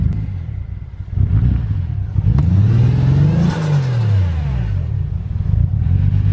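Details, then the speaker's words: Nissan R34 Skyline with Vibrant muffler; engine rises and falls through a couple of revs with an uneven, stumbling note, still breaking up under throttle after running a little better; misfire under revving, cause not confirmed. "finally back in if you saw in Jimmy Oakes's video we got it running a little bit better it's still breaking up"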